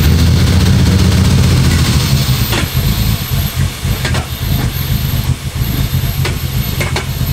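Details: Ford EF Falcon with swapped Barra turbo engine, first start on base map with 1200cc injectors and no proper tune: rough low idle with sharp metallic knocks about once a second over the rumble.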